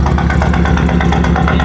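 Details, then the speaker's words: BMW with check engine light, started misfiring after doing donuts: loud, choppy lope with an uneven beat like a cammed idle, running rough; cause not yet diagnosed. "As you guys can hear it, it sounds horrible. Literally horrible. It sounds like a freaking boat or something, or it sounds cammed. It's not supposed to sound like that."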